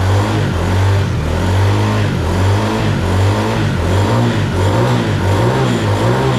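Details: ATV engine after carburetor cleaned (suspected stuck float, fuel leak) and slight throttle adjustment, revving up and settling smoothly in slow even swells, no stumbling or popping, running better than ever; normal running.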